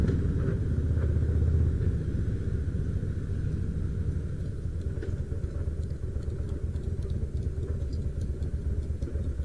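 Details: 2004 Harley-Davidson Fat Boy V-twin, about 5,000-6,000 miles, riding under way: heavy low rumble with rough, uneven rattle from the bottom end; loose compensator bolt, fixed by torquing to 150 ft-lb with blue Loctite.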